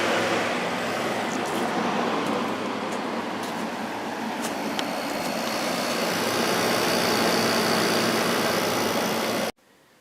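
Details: Kenmore (Whirlpool-made) 8000 BTU window air conditioner, single-speed fan, no thermostat, fan motor just oiled with SAE 20: strong even air rush with steady hum, no rattles or squeals, then clean cut-off; running normally.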